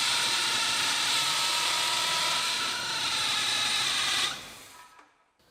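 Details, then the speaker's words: 1986 Dodge Ramcharger engine running after vacuum lines were plugged and the brake booster reconnected: a high steady squeal for about four seconds, fading at shutdown, from a loose drive belt. "all the dogs in the neighborhood are barking oh you're loose that's why i would i would scream like that too if i was loose"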